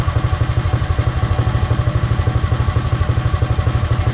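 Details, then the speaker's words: Predator 212 single-cylinder on a Mega Moto minibike after fitting a CDI performance ignition kit, battery-powered, belt off: quick, even thumping about nine beats a second with light clutch rattle on top; runs smoothly, strongly and responsively. "There we go. Alright, it looks good. Sounds pretty good too. That seems to run very well. It's very responsive."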